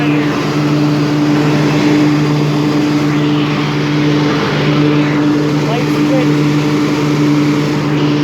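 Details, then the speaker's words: 1998 Craftsman DLT hydrostatic lawn tractor, 22 years old, 16.5hp Kohler Command single-cylinder, just tuned up with rebuilt carburetor and new fuel pump, at full throttle: steady, even drone with no dips, knocks or surging. Runs smooth with plenty of power, normal. "oh so as you can hear it has plenty of power runs smooth throttle it all the way down if you need to walk away from the machine nice bright headlights as you can hear it runs nice and smooth plenty of power"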